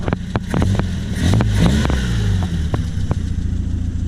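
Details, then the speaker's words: 1978 Triumph Spitfire with the choke off. A low, even idle rumble around 800–900 rpm carries a few light clicks, set just above a bumpy 750. The engine runs steady and smooth. "And there we go, about an 800, 900 RPM idle."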